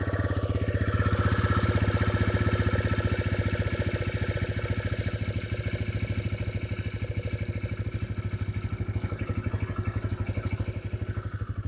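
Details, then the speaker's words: TVS Raider 125 at 15,612 km, just after 4th paid service: steady single-cylinder idle with light even tick-tick noise on top; top-end tick, cause not identified. "So ఆ tick tick noise అయితే వస్తుంది"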